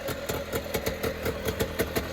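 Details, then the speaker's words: Cold Honda FL400 Pilot single-cylinder at idle, choke just off: even thumps with light clutch chatter. Normal cold clutch noise at idle, also heard when returning to idle. "The clutches in these machines will make a little bit of noise when they're cold, especially at idle. Sometimes when you return to idle, the clutch will make a little bit of noise."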